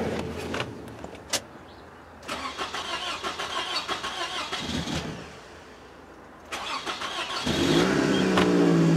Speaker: Hooray! The old beast runs. Yet again.